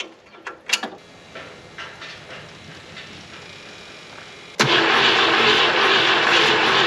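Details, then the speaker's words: 1972 Ford F-100 240 inline-six automatic, barn-stored since 1995: loud steady starter cranking for a few seconds, no firing; crank no-start, owner suspects too much fuel pressure from new pump, firing order then checked and correct. "nope doing the same thing too much fuel pressure what is up with new fuel pumps oh my goodness that is an insane amount of fuel pressure"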